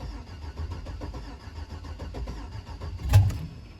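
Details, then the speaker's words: 2005 Chevrolet Suburban donor on its first start attempt, gauge reading out of gas with a little fuel left. Uneven cranking with weak firing burbles, then a sharp bang, never catching; crank with brief burble, no start. "so that little turnover and burble she heard and decided she's coming out so i've got to check the oil make sure it has some in it"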